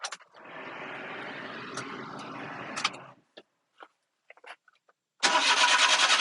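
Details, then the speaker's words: Japanese mini truck just imported after eight weeks on the ship, unknown history: starter grinds about three seconds without catching, a few clicks, then fires and runs steadily; reluctant start. "I guess maybe doesn't want to start too well but we did get it started"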